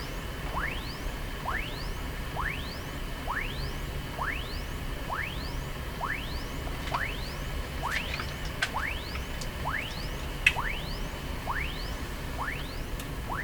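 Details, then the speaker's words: Sony TR-712 transistor radio near another radio: hiss with a repeating rising whistle, a whine caused by one radio's local oscillator interfering with the other; heterodyne whistle. "Did you hear the whine come out of this radio? We're hearing that radio, not this one. So what's happening is the local oscillator in this radio is affecting this other radio."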